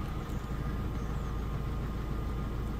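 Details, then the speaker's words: Mazda that had code P0302 cylinder 2 misfire and was shaking badly, idling after the code was cleared. Steady, even low rumble with no stumbles; the engine now runs perfectly with no shaking. "pues me temblaba mucho ya no no ya está perfectamente bien ya"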